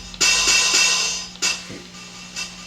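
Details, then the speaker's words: Water-damaged LinnDrum drum machine at first power-up, testing hi-hat voice: faint hits fade and drop out unevenly then return briefly; volume slider cutting out, hi-hat not working properly. "slider is kind of cutting out. This hi-hat isn't working."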